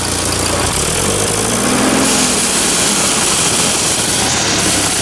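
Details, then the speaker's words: Old tractor's first run with the throttle partly open: a loud, busy, ragged, uneven engine beat that opening the throttle doesn't improve. Owner suspects lubrication not getting in; cause unconfirmed, no blue smoke. "honey doesn't seem to make much difference that does not sound nice in there"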